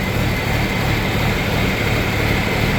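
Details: John Deere 4430 tractor (grandpa's) diesel after servicing, started after cranking with fuel shutoff pulled to build oil pressure; deep, even idle with steady low thrum, no knocks or misses, A/C compressor running, cold air, readings about perfect; normal idle.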